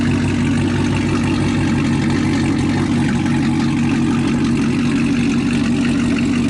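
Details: Chevrolet Camaro ZL1 V8 with a steady, even idle, no stumble or skip, after a damaged spark plug was replaced; engine back to running normally.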